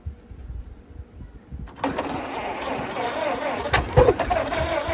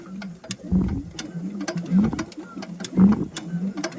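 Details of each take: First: Farm-find Model T, possibly 1926, started with fuel sprayed in: quiet cranking, then a sudden catch and a few seconds of ragged uneven firing that never settles; won't keep running, spark plug wires suspected. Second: Circa-1926 Ford Model T 20 hp engine, long sitting, turned slowly by hand with a thumb over the spark plug hole: firm puff and resistance about once a second; good compression.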